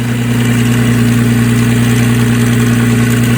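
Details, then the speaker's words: 2004 Nissan Maxima with a stall and fast-idle problem, battery being charged: a loud, steady idle with a fast, uneven light rattle over the engine note. The owner suspects a worn timing chain. "i think she needs a timing chain man you don't sound good"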